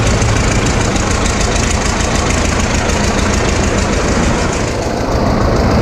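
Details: 1936 Caterpillar RD7 crawler, first start since its seized, water-contaminated starting engine was rebuilt from parts units: heavy, loud diesel chuffing at a steady slow beat with no misfires; normal running.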